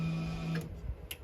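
Faint low electric motor hum in short bursts with light clicks in a quiet room; the parking brake motor applies normally.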